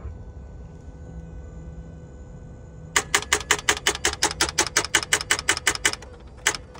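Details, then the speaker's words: 2012 Ford Fusion, about 118,000 miles, ran days earlier but this morning only gives about fifteen quick even clicks with no cranking or firing when starting; won't start, cause not confirmed. "Alright, this one was running the other day, but can't get it to go this morning. As you heard, it's just clicking this morning."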